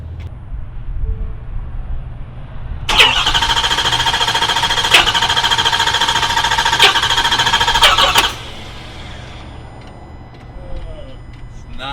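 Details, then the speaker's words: 2021 Ford F250 6.7 diesel driven about 500 miles on a CP4 pump deliberately contaminated with abrasive; it first acted seized, then freed up, with no fuel in the valley. Starter churns steadily for about five seconds but it never fires: failed high-pressure pump. "we'll see if it'll start one more time if not I'll probably have to drag it in"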